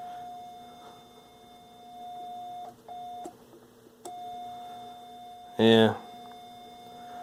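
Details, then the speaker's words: General Electric SC2310B 8-track AM/FM stereo fed about half a volt at the ceramic cartridge input: the test tone comes through buzzy and harsh, almost a sawtooth or square wave, from a faulty amplifier channel distorting, though the speaker may contribute. "sound like that almost sounds like a sawtooth or a square wave"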